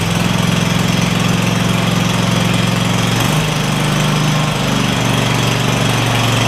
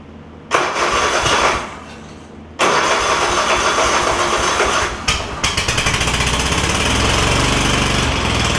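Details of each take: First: Craftsman DYS4500 lawn tractor, Kohler Courage V-twin, after swapping the 12V ignition module to traditional coils and a new spark plug on one side: steady, even two-cylinder beat at fast idle, no missing or hunting, both cylinders firing. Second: Craftsman DYS4500 lawn tractor, Kohler Courage V-twin with failing 12-volt ignition coil system and trashed wiring, no spark on one cylinder: engine catches, then runs lumpy with a stumbling uneven beat; misfire, one cylinder dead.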